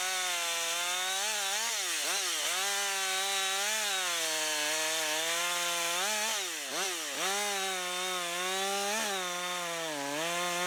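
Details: Husqvarna 562xp AutoTune saw, long unused, self-tuned with 30–40 s part throttle, cutting at about 15 degrees or colder on cold gas and oil: holds high revs, dips briefly under load and recovers crisply; healthy.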